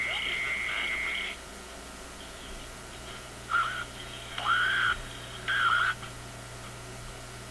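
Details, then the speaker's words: Zenith G615 tube AM radio (chassis 6G05), no antenna: steady hum with warbling chirping whistles in ~1 s bursts; interference from a sleeping office computer's power supply about 20 feet away. "That is my office computer, which is about 20 feet from here, and it's not on. My office computer is in sleep mode, and this is what it generates while it's sleeping."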